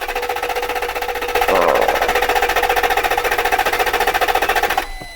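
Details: One-owner 1992 Lexus V8 saloon, 11k miles, long stored in a barn, cranked from inside with the window down: steady starter cranking at about four turns a second that never catches, then stops; cranks but won't fire, cause unconfirmed.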